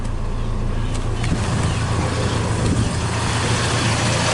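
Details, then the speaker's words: Toyota Tacoma 2.4L after P0401 EGR flow insufficient fix (EGR ports cleaned, intake manifold reinstalled), AC off: steady, even idle with no misses; previously ran rough and shook badly, never idled this smooth; normal idle. "Which has never idled this smooth. It used to shake really, really bad."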